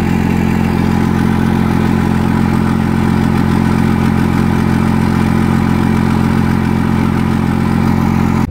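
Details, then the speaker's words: 2nd-gen Cummins 24-valve diesel, cold start after fuel pressure adjusted, grid heater secured, grounds and battery terminals checked, smoking: loud clatter with an uneven, lumpy idle; rough running, owner suspects the VP44 pump may be going bad. "So it still started rough, guys, which sucks. You can probably see all that smoke."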